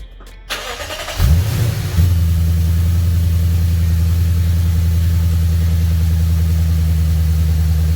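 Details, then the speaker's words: Lexus RC F after priming the supercharger oil system, oil right on max: starter whirs, then a steady, even low idle with no knocks or whine. Supercharger sounds healthy; normal idle. "All right guys, so the car idle really well. The supercharger sounded healthy."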